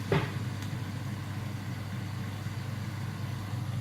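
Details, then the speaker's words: Beko HCA62541B kitchen range hood fan on level 1, almost inaudible: low, even hum with soft airflow rush, no rattles or pulsing; fan running healthy on lowest speed. "Prawie nie słychać. I czwórka."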